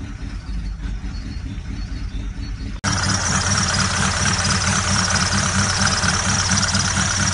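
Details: Ford Galaxy engine fires up mid-clip and settles into a steady idle with a loose knock about twice a second riding on top; source of the knocking not identified.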